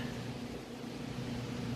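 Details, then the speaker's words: 3-year-old Maytag electric dryer, like-new condition, running and confirmed heating: only a faint, even hum and soft airflow, barely audible, with no thumping, squealing or scraping; normal, healthy running. "So I'll pull those out here in just a sec, but the dryer's actually running. You can barely hear it."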